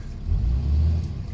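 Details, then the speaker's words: 2014 Ram Cummins diesel after aftermarket VGT turbo actuator replacement, held at 2,000 rpm for about 10 minutes to open thermostat: deep, steady, even drone, no knocks or misses; healthy. "Got to hold the engine, it says at 2,000 RPM for about 10 minutes until the coolant opens up."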